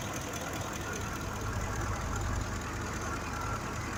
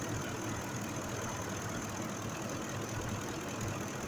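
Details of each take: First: 2005 Ford F-150 5.4L V8 at idle: quiet idle with uneven stumbling low exhaust thump; misfire from a mechanically faulty fuel injector, scan showing no fault code, injector replaced. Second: 2005 Ford F-150 5.4 V8 idling after repair of a cylinder 2 misfire, which proved mechanical rather than electrical: steady, even idle with a smooth rumble and no stumble. Engine now running normally.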